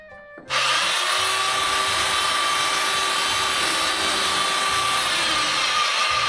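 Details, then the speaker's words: Rented tile-breaking hammer failed after under an hour of use. The motor gives a smooth continuous whine with no repeated impacts, so the motor runs but the hammer action doesn't strike. "Je peux toujours régler l'angle d'attaque et tout juste il a il a arrêté de il fait pas l'effet marteau pickur quoi."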